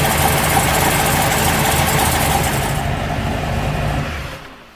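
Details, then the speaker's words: 1973 Corvette C3 big block V8, new mini starter, hot restart after 5–6 minutes at 60 mph with the starter at 300 degrees: engine catches and settles into a steady, even, lumpy idle at about four pulses a second; healthy start. "Not bad. I mean, it's not 100 degrees out today, but I drove it at 60 miles an hour for 5 minutes, 6 minutes, so that's pretty warm. It seems to work okay."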